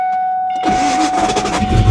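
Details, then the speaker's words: 1993 Ford Mustang GT convertible, auction car sitting about a week, battery possibly weak, first start: warning chime, then short sluggish crank that catches briefly and dies; starter sounds unhealthy, slow cranking, cause unconfirmed. "that starter doesn't sound too healthy and it died"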